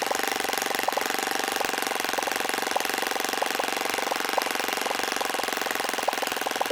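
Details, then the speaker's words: O.S. FS-26 Surpass four-stroke model engine on 10% fuel with APC 9x6 prop, tuned in; idles with an even bubbling pop, steady rhythm and no sag or stumble; normal idle. "you could see that it was idling a little bit better than there was last couple minutes and I like to hear that little popping bubbling sound on these four-stroke engines to tell me when the idle sounds about right because it should be kind of bubbly like that"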